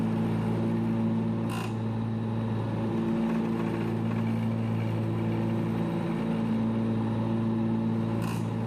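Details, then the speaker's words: ZG222 mower, PTO engaged with blades running: engine drone with a steady low hum and a rough, uneven nasty note from the deck, cause unclear; blades to be removed and underside pressure-washed. "that doesn't sound good well it looks like we've gotta take these blades off um had quite a nasty sound hear that"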